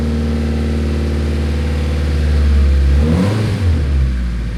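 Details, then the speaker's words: Nissan 240SX S13 with SR20DET swap, first run after about 14 years abandoned: a smooth, steady four-cylinder idle rises cleanly on a rev and settles back without stumbling. It sounds amazing; normal running. "it sounds amazing very cool"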